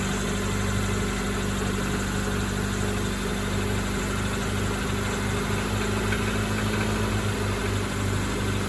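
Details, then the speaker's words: Acura Integra after temporary exhaust patch, rotted resonator ends bridged with slip-fit pipe and three clamps, started to check for leaks: smooth even idle, steady low rumble, no puffing or ticking at joints; exhaust sealed. "and I can see it's all engine noise there's no steam coming out by the cat no steam coming out here sounds quiet underneath"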